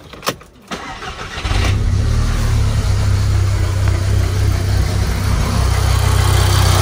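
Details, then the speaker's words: VW Golf Mk5 GTI, dirty and neglected project car with no engine light: cranks, catches and settles into a rattly, slightly uneven idle with a chuffing beat; owner suspects a misfire. "so it looks like it's misfiring or something's not really right here"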